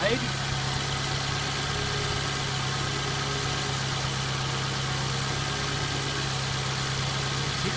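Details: 1990 Mazda Miata (MX-5) engine running at idle: steady, even, smooth low hum with no knocks or misses; owner says it sounds good; power steering faulty, fan relay replaced.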